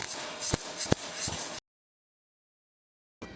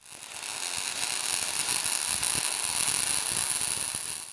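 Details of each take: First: ARCPEX MIG200 MIG welder listening test: harsh, hissy arc with loud sharp cracks like frying bacon too hard, meaning voltage too high for wire speed; fix is to turn voltage down. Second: ARCPEX MIG200 MIG welder with voltage and wire speed correctly matched: a smooth, steady frying crackle, even and bright with no pops or stutter, the sweet-spot sound of a correctly set arc.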